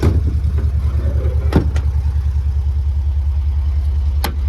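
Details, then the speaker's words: 1972 VW Beetle air-cooled flat-four, just revived after over three years standing, with a low fuel tank: it idles with a deep, even thrum, steady beat and no knocks or misses, sounding sweet. The owner says it still needs a good service. "Um, don't know what that is. But God, it sounds sweet as a nut."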